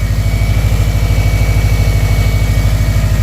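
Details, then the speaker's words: Subaru Forester XT turbo engine with a blown turbo leaving residual smoke, running through a pass-through muffler: deep, even exhaust pulse at a steady idle of about three beats a second, no stumble, quieter than expected; idling healthy. "No, it actually is a lot quieter than I expected it to be."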